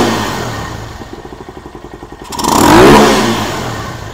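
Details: Venom SS3 KP Mini 150 after swapping to a Nibbi 26mm carburetor, jet changed and needle clip raised richer, before muffler fitted: quick even idle putter about twelve beats a second, clean swell on throttle and smooth return; normal idle and rev.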